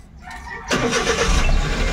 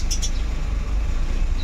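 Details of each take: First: Suzuki Every wagon with hot-engine hard starting, right after clearing fault codes: short crank, engine catches almost at once with one click and settles into steady idle; quick normal start, hot-start behaviour not yet retested. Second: Suzuki Every Wagon with hard hot starting and check engine codes: starts on one click, low idle with uneven wavering beat that rises and sags; owner suspects lacking air or fuel supply, fuel pressure to be checked; fluctuating idle speed.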